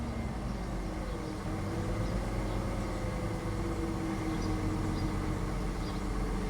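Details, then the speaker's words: 1994 Ford F150 V-engine just started cold in open loop after new spark plugs and reconnected EGR vacuum lines: quiet, even idle with soft steady drone, no misses or ticks, revs smooth; normal idle. "So open loop. IX coming down. Rev's nice and smooth."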